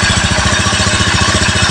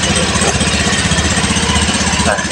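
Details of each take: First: Rebuilt Honda Beat FI ESP engine idling cool during run-in, crankshaft bearing quiet: quick light tapping over a steady idle comes from the engine cover rattling because its bolt is missing, not from internal damage. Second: Honda Beat FI ESP scooter engine rebuilt from scratch after someone else's botched job, new piston still tight, running in: steady, even fast-idle putter with a clean firing beat, no wobble, knocks or the earlier rattle; normal running.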